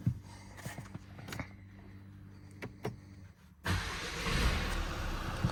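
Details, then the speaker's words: 2015 Mercedes A-Class 1.5 CDI diesel (K9K) after a service with fuel filter replacement; system primed with ignition-on cycles. A few clicks and ticks, then it starts instantly without long cranking and idles steadily. Normal start and idle. "so now the system's primed it's just struck straight up so if you've just tried to Strike It Up it'd be cranking for ages trying to get the fuel up there"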